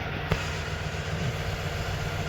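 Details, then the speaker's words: High-mileage car idle, low on oil with low oil pressure, no check engine light: steady rough idle with faint light ticking that quiets when revved; owner suspects low or too-thick oil, not rod knock, plans oil and filter change with thinner oil. "it's low in oil I'm kind of thinking it's it doesn't have any oil and maybe the oil's too thick but that's not a rodot"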